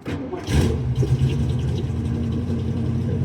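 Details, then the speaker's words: 1972 Mustang convertible, 351 Cleveland V8 with Edelbrock 4-barrel intake, headers and Black Widow mufflers, needs cam: brief crank catches instantly into deep, even rumble; starts right up, runs on all eight. "Starts right up, no problem. That sounds nastier, but some people like the noise, some people don't."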